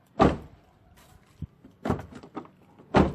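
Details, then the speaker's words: Toyota Agya/Ayla/Wigo front right door lock actuator after replacement of the jammed unit and reinstalling the trim. Three crisp, firm lock clunks come with no buzzing or hesitation, and repeated locking works without problems. "Ini sudah kita coba lock berkali-kali dan hasilnya tidak ada kendala."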